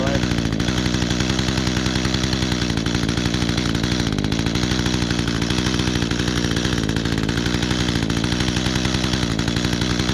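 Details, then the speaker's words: Small two-stroke trimmer, primed and started easily, buzzing at a steady high idle, firing clean and even without stumbles or rattles; it stalled a little in tall grass, otherwise normal running. "Oh, perfect. So, not too bad. Yeah, the grass is little tall, so it kind of did um stall a little bit, but hey, not bad."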